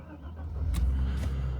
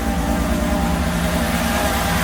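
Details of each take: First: Mercedes SL320 unused for 3 years, after repairs including a bad airflow sensor, cold start. Fires on the first turn into a low, even rumble on all cylinders, idle slightly high while cold, no smoke. Normal start. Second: Mercedes SL320 that had not run for 3 years, started freezing cold with the airflow sensor plug back on: an uneven, stumbling idle that is not firing on all cylinders. Misfire of unconfirmed cause.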